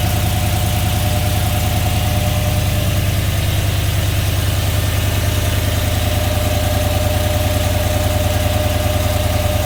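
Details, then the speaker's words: 5.3L V8 Silverado with a C8 Corvette intake manifold, 2019 ZR1 throttle body, headers and a cold air intake, first start with no tune: loud, lumpy, hunting rough idle as it struggles to stay running. "so yeah you can hear it having a hard time uh idling like I said none of this is tuned it's not even tuned for the headers the new intake the colder intake or the bigger throttle body"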